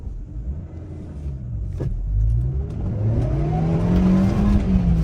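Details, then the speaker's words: 2011 Suzuki Swift 1.2 petrol, completely worn clutch, accelerating in second gear: engine revs climb smoothly to the redline under load without the car pulling, clutch slipping; clutch to be replaced. "So, the revs are all the way to the max, but the car isn't moving now within second. I'm not sure if you can hear the engine revving to the max, but isn't moving as it should, and it's not pulling."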